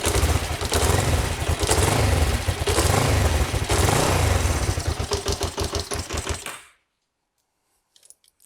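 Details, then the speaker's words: Kawasaki GPZ 500S twin, left outside three to four years, restarting during its revival: catches on the first press and runs with a rough, fast beat for several seconds before shutting off. Not very smoky. "I am well chuffed and not very smoky either"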